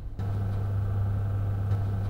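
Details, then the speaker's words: Razer Core X eGPU enclosure connected to a Mac, with its fan unplugged and no GPU installed: a constant low hum with a faint steady higher whine from its built-in power supply. Not loud, but too noisy to sit near a MacBook. "this razor core X PSU the power supply in there is correct it's just a smidge okay it's not crazy noise but it's too noisy to have too close to your MacBook"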